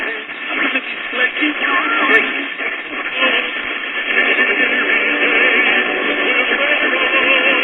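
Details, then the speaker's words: Late-1930s Majestic tube radio mid-repair, switched on at about 7 pm and receiving distant DX at the high end of the band. Clean, steady broadcast music with no crackle, hum or fading: normal reception. "all right we're about it's about seven in the afternoon and we're already getting some dx at the high end of the van"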